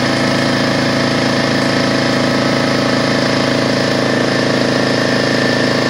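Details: DeWalt 4.5 gallon air compressor after no-start repair; loud even pump chatter at constant pace with no knocks or stalls while building pressure to 200 psi cutoff; normal running.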